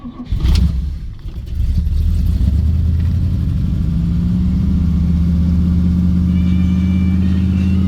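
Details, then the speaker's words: Car cold start after starter wire and choke cable fitted: pump, pull choke, brief crank, fires right up and settles into steady, even but somewhat high fast idle; healthy cold start, fast idle a little high. "Not bad. I will say, like I've said before, the fast idle is a little high, but it does work. Pretty much fires right up though, don't it?"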